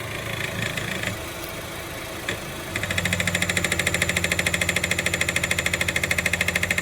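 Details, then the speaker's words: Honda at idle: quiet in Park, Neutral and Reverse, but once in Drive a steady rattle of about three knocks a second sets in underneath; rattle under car in Drive from a loose underbody part, fixed free by removing it. "escuchen este sonido que está haciendo cuando se pone en drivers lo ponemos neutro es un parque no suena"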